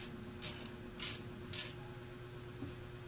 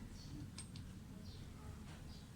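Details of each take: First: Mitsubishi Adventure speedometer gauge off the vehicle, its cable turned slowly by hand: rhythmic hissy scraping bursts, nearly two a second, even at low speed; the owner reports noise from 60 kph and the needle jumping to high readings. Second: Mitsubishi Adventure speedometer bench-tested after repair: soft low hum with a few faint ticks, no longer noisy or jumping to high readings, a fault that had started at 60 kph.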